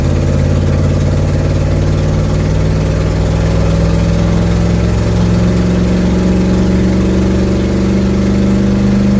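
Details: 1972 Ford Mustang driving home, phone mounted in the dash, leak not yet fixed: steady low engine drone climbing gently with speed, with a raspy, puffy edge to the exhaust note. Exhaust leak.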